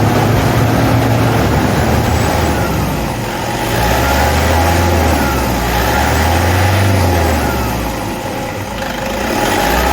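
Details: Toyota D4D diesel clattering at idle with a faint steady whirring tone on top that holds with engine speed; identified as idler pulley noise.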